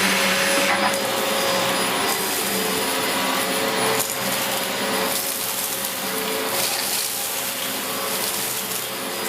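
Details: 17-year-old Dyson DC04 upright vacuum in a big mess test: strong steady motor roar with airflow hiss dipping as the head moves; running healthy.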